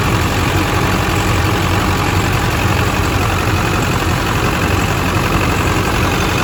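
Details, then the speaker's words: California four-wheel-drive diesel truck at 241,000, engine bay: steady low rumble at idle, no misses or knocks, no blow-by and no exhaust smoke; normal diesel idle. "It's got no blowby, which is great. Sounds good up here."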